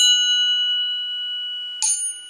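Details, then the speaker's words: Tap ring test on a true steel chromoly VW cam gear: clear, sustained metallic ring that slowly fades, then shorter taps; normal ring of a sound hard-steel gear, unlike the cast crank-side gear. "I want you to listen to this to this cam gear all right that is a true steel chromoly cambiar"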